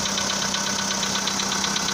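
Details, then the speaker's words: VW Polo Sedan engine at cold start on a snowy day: light, sharp knock about seven or eight times a second at idle, said by others to be piston slap in one or more cylinders; unconfirmed. "итак слышен характерный сук в моторе как говорят люди это стучат поршни ну либо какой то один из них и так штук есть слышно"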